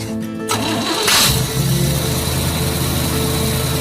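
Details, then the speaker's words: Jeep CJ-8 Scrambler after replacing the dead fuel pump: brief cranking, then it catches quickly and settles into a steady idle without stumbling; good start. "okay yeah now we're at the point we should have been an hour and a half ago"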